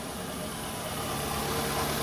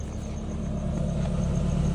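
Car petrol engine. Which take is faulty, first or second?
first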